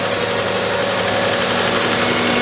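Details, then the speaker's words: Toyota Camry first cold start, engine just started and cool; steady petrol idle with a busy rattly clatter over the hum; rattling noise at idle, owner thinks it might be one of the belts, unconfirmed. "Hear that? Here. There's a rattling noise."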